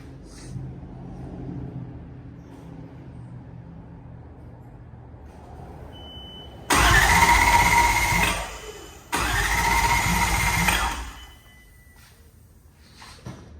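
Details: Nissan S14 with a 1UZ V8 swap, first start attempt, fuel pump heard priming: two bursts of steady starter cranking about three beats a second, each stopping without catching; cranks but won't fire. Cause suspected, not confirmed.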